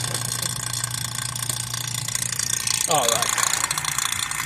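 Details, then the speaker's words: Vacuum pump evacuating a vehicle A/C system (R-134a) before refrigerant charge, high and low side valves open: steady low motor drone with constant hiss and faint hum, running normally. "and now it's working and we're going to let it run and we probably going to let this thing run for approximately I'm going to say about 20 to 30 minutes"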